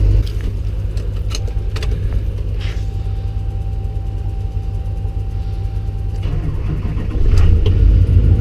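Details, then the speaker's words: LBZ Duramax diesel pickup cold start in snow: deep, steady rumble settling into even idle, some clinking nearby; starts with no problem, about to go into high idle mode and start whistling; normal cold start. "yeah no problem this dream actually go into high idle mode in a minute start whistling there it goes"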